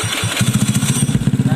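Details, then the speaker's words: Honda Beat scooter with replacement PE24 carburetor, after carb setting to cure hard morning starts: starts within a few turns without covering the venturi, settling into quick, even firing pulses; clean easy start. "ini udah norma Ya udah gampang enggak John karangnya ini udah gampang hidupnya dan insya Allah ini waktu dingin juga bakalan gampang hidupnya ya"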